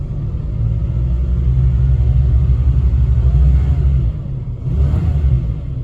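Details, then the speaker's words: Plymouth Gran Fury with a new clone BBD carburetor, light revving under load on a test drive; deep uneven rumble rises, then sags and falters briefly before picking up, with some popping and backfire; stumble suspected from carburetor, possibly distributor, not confirmed. "see so under load now you know what i'll tell you this i could be 100 wrong about that being in the cardboard that could be something with the distributor"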